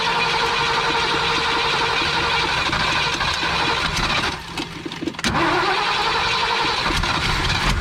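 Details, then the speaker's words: 1965 Ford Galaxie 500, long sitting, started with choke partly closed: engine catches, nearly stalls, dips, then recovers to a lumpy, uneven idle; not getting enough gas through, carburetor (missing parts) needs rebuilding. "All right, y'all, we got it to idle. There's a lot more needs than that. You ain't getting enough gas cycling through there. Carburetor needs to be rebuilt."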